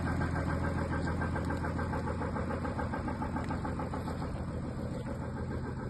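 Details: Audi A6 3.0L TDI diesel at idle: steady, fairly even tapping about twice a second over the engine drone; source of the noise unclear.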